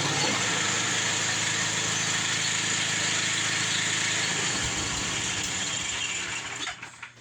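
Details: Snow blower small petrol engine just after auger belt replacement: steady, even buzzing run at constant speed, then shuts down; no knocks or slipping heard, running normally.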